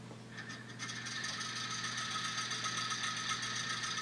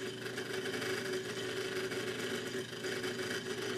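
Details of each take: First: Original mechanical version of a small home-built pulse motor, about two years old, with cam and brush switching battery power through the shaft, which spark-erodes the support hole: fast, even, light buzzing clatter, steady speed, running fine. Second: Homemade pulse motor with PIC 12F675 control and a slotted-disc optical pickup: steady whirring buzz with a mid-pitched tone. The noise comes because the magnet is still on as the rotor passes, so the pulse timing needs readjusting.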